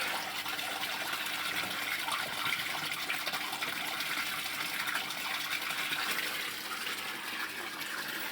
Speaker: Voilà, donc là il est en train de s'amorcer. Si on met pas le deuxième coude, il ne veut pas s'amorcer.